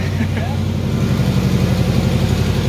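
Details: Police Interceptor Crown Vic V8 with new stainless longtube headers and a cold air intake, at startup: steady idle with a faint rapid puffing tick riding on the exhaust note. Exhaust leak.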